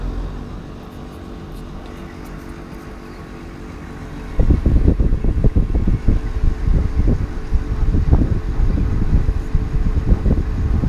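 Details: TCL ductless split air conditioner outdoor unit: quiet hum, then louder uneven low rumble with flapping thumps a few seconds after start-up; noisy outdoor unit, cause unclear.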